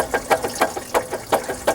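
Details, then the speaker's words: 2010 Dodge Cummins 6.7 diesel water pump, belt removed: the loose shaft is rocked by hand, giving quick loose metallic clacks from a worn bearing, the same rattle heard in the truck; the pump has failed multiple times. "and hear it rattling. And that's the sound that we're hearing in the truck."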